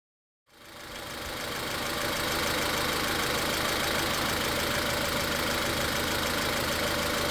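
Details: Car idling with a regular stumble, nearly four uneven beats a second, over a hissy running sound. Coil and injector power balance tests show cylinder three misfiring, and the cause is not the spark; the root cause is not yet confirmed.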